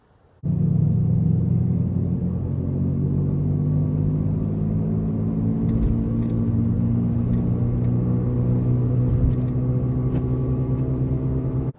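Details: 2014 Jeep Patriot 4x4 while driving: a really loud, steady low hum under road noise, pinpointed to a worn rear wheel bearing, which was then replaced.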